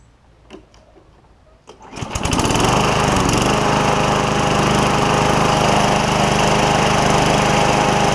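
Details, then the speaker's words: 1999 Craftsman mower, Tecumseh 6.75 Vector engine, after a new carburetor, belt reinstalled and self-propel repaired, starting on first pull after priming: a few clicks, then a steady, even drone with no surging. Running normally. "so there it is guys we've got a 99 model Craftsman with the 6.75 Vector tumza back going again"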